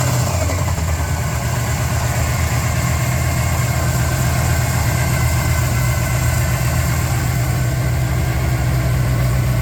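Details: Chevrolet Z28 with a 400 V8 idling: dull, fairly quick knocking buried in the low rumble; owner suspects rod knock, not confirmed.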